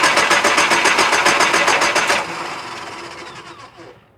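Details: 2000 Nissan Frontier XE 2.4L: fast, even starter chatter at about four beats a second for two seconds, then it winds down. The engine never catches, so it cranks but won't start.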